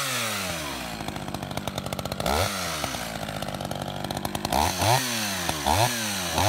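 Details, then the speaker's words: Roughly 31-year-old Echo CS-550EVL chainsaw, tuned to 9,000 rpm by tachometer, warmed up five minutes, chain sharpened, cutting wood: full-throttle scream that sags in the cut and snaps back crisply. Healthy operation under load. "everything on this chainsaw works just like it did 31 years ago it cuts like brand-new"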